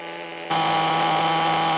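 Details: 16-year-old HPI RS4 3 Evo nitro RC car, primed, carb reset to factory settings, first start after unknown storage. It catches into a high, buzzy idle that is slightly uneven, smoky and oily. Rich, rough idle; cause suspected, not confirmed.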